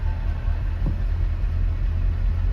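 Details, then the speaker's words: 1988 Ford Ranger XLT with 54,000 original miles, just started cold: a low, even rumble at about 1000 rpm fast idle, steady with no misses or smoke. A slight catalytic converter rattle is heard; a normal cold fast idle. "idling at a thousand rpms it will calm down once it warms up nice and smooth and no smoke coming out of the tailpipe or anything like that"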